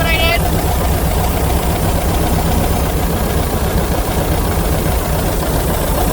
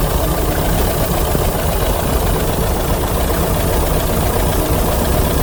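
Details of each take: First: 1982 VW Vanagon L, air-cooled 2.0L flat-four, fuel-injected, automatic; had no-start trouble, air intake boot and meter cleaned, timing checked: loud, steady chatter with an even beat, no stumbling or hunting; normal idle. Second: 1982 VW Vanagon L 2.0 L air-cooled, automatic, fuel-injected, after a no-start: low, lumpy idle that sags as if about to stall. Owner suspects the ignition timing needs adjusting; not confirmed.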